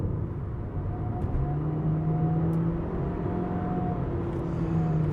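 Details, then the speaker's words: MG3 Hybrid+ with 1.5 L four-cylinder petrol, hybrid system and 3-speed auto, full throttle from low speed, heard in the cabin: deep engine drone with a thin wavering whistle over it; whistle source unclear. "so yeah we got that big engine thrum coming into the cabin you can hear that clear as day you can also hear a very weird Whistling noise"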